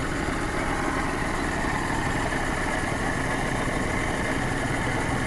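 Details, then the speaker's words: 1992 Geo Metro Convertible 3-cylinder, freshly rebuilt (0.020 over pistons, new rings, new crankshaft, rebuilt head, new pumps). Steady, even idle with the slight low shake normal for a 3-cylinder, no knocks or ticks. Healthy normal idle. "No matter how nice you make one of these cars, you're going to have a little shake to it. It's just the nature of the beast on this particular vehicle."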